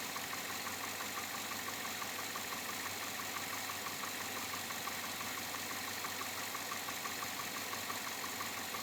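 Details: 2007 Chevrolet Avalanche, about 86,000 miles, at idle: light, regular ticking knock about twice a second over the engine; owner unsure if engine knock or piston slap, unfixed after four dealer visits.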